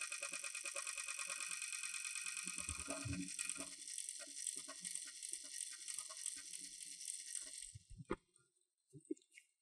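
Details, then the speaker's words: Aktec computer power supply fan with microphone beside it: dry, fast rattling buzz for about eight seconds, then stops; annoying noise from a noisy fan bearing needing service and lubrication. "so you heard the noise that it was it's making is a annoying noise"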